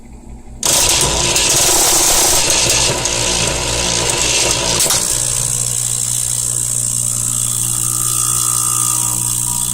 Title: Saeco 200 making horrible clicking sound